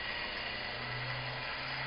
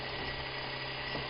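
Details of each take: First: Modified scooter motor after the brush back plate was adjusted and the rotation reversed: even, buzzing motor whine holding a steady low tone with no grinding; running properly and now charging the battery bank toward 12 volts. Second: Modified off-the-shelf scooter motor, 100 turns of 20-gauge wire, with the brush back plate rotated for reverse rotation: steady low hum and constant whir, turning slowly and evenly; in this direction the battery bank would not charge.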